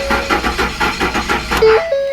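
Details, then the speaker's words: Ford F-150 4.6 V8, first start attempt after timing chain work, cranking to build oil pressure with the plugs in: the starter turns the engine at about five even pulses a second, then stops with chimes. It never fires and no oil pressure shows yet. "um the light i've got all my plugs in it so it's not going to crank over as fast but by now it's probably got some oil pressured"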